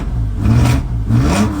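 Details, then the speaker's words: E46 drift car with a laggy throttle: revs climb, sag and stumble, bogging after revving. New mass airflow sensor didn't help; leaky injector was already fixed; new spark plugs to try next. Cause not confirmed. "It wants to bog out after it revs. And then sometimes it revs like crap and then it wants to bog down again."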